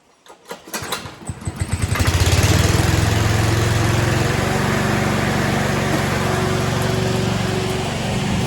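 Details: Self-propelled single-cylinder mower after an oil change, new drive spring and blade bolts, possibly on choke: a few pulls, then it catches and settles into a steady, even run with no knocks or misses.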